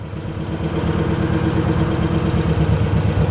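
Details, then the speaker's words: 2005 Kawasaki Mule 600 on test drive after repair: smooth, even low engine beat rising slightly as it pulls away, no stumbles or misfires; runs like a top. "seems to be running good i think that did the trick took her for a test drive to make sure everything was okay and she seems to be running like a top just like"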